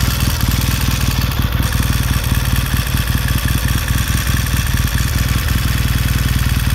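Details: 1969 Triumph T100C after rebuild, started cold on one kick: deep, even twin thump with a slight loping warm-up rhythm, no rattles or misses; normal healthy warm-up idle settling in.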